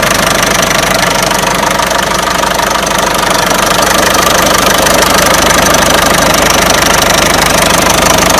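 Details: Peugeot 307 1.6 90 hp engine: a loud, steady knock of about three per second over the idle that rises with revs. A clear internal engine knock; the owner asks where it comes from, source not pinned down.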